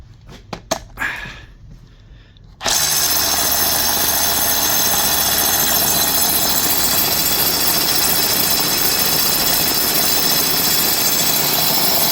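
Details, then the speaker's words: Dewalt DCH273 cordless SDS drill after chuck repair with used DCH253 parts, hammer drilling with an oversized 24mm SDS masonry bit: handling taps, then steady fast bright hammering rattle; hammer action works. "It actually works. That is just ridiculous. But it does work."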